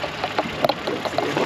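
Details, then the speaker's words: New Honda Pilot with all-new 3.5-litre DOHC V6 (285 hp, 10-speed automatic), high-pressure direct injection: light, fast, slightly diesel-like ticking at idle, normal injector noise. "Well, I remember when high-pressure injection first came out, it sounded like the cars were ready to explode, and this just kind of... I wouldn't say explode. I'd say maybe sounded a little bit like a diesel."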